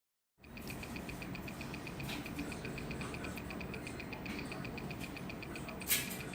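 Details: X9SHR-7TF motherboard onboard speaker giving a fast, even ticking of about four clicks a second over a faint hum; cause unknown.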